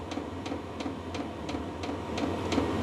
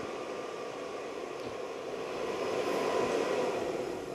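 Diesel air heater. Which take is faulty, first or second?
second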